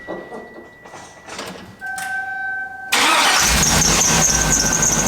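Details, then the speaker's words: 2003 Hummer H2 V8, almost 300,000 miles, sharp high squeal as it cranks and catches on start-up; the spring tensioner was already swapped for a known-good one yet the belt still squeaks; the engine also has the typical driver-side rear exhaust manifold leak. "e day I picked it up it had a terrible belt squeak and I thought it was going to be the spring tensioner cuz that's the one I normally see failing"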